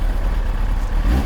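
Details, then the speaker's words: Kawasaki ZX-9R after oil and filter change, choke off, slightly warm: short clean throttle blip with smooth pickup, no rattles or misfires; healthy engine. "sounds good it's always a satisfying satisfactory it's always a satisfying feeling after you've done an oil change on a motorcycle or a car and you start it up for the first time knowing that it's got fresh oil pretty pretty sweet yeah she sounds good"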